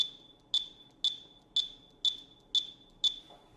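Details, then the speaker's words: Zebra TC20 mobile computer scanning barcodes: six short, high, clear beeps, two a second, each a normal successful-read beep. "mungkin tandanya bahwa dia melakukan sukses scan barcode adalah dengan bunyi beep pada PC 20 ini"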